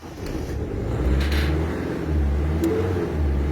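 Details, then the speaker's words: Mini Cooper 1.6 HDi diesel after injector seal replacement, fuel return primed, at start-up: fires and settles to an even low idle with slight clatter, no hard injector knock; normal, fully operational. "voilà il n'y a pas beaucoup de bruit claquement voilà bon je monte là on a un geek un bruit parfaitement fonctionnel opérationnel normal il n'était"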